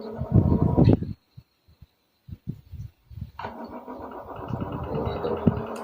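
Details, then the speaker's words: Metal-blade electric fan that spins slowly and stops after about 5 minutes, running rough with a low, uneven tok-tok knock like a diesel; the motor winding is fine, and the shaft and bushing are the suspected cause. "W suaranya kayak diesel ya. Tok tok tok tok tok tok tok tok."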